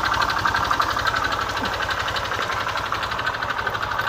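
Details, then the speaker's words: 2011 Honda Vario Techno scooter idling, engine due for restoration; fast uneven ticking chatter about four per second over engine note, odd noise suspected from CVT side, not yet checked. "suaranya saya sini kira-kira di sini mah dari bagian CVT nanti kita cek dulu"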